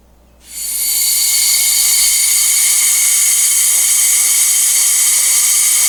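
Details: An air-compressor-driven venturi vacuum pump evacuates a 2006 Jeep Wrangler TJ A/C system, all new after a full HVAC replacement, before recharge. A sharp rush of air, then a steady high hiss; the pump pulls vacuum normally.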